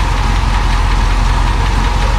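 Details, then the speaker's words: Barn-find 1966 Thunderbird V8 after cleaning the plug of long-dead cylinder 8, idling a little rough with a faint quick lifter tick riding on the rumble. "I mean, it's still a little rough. And I hear a lifter tick just a touch."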